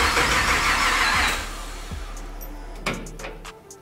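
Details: 1959 Chevy Apache pickup with LS3 engine, newly custom rewired harness with cab-mounted ECU, turbos not connected, first key start after low fuel with pump possibly mounted too high in tank; starter churns about a second then clicks and clunks, no catch; crank no start.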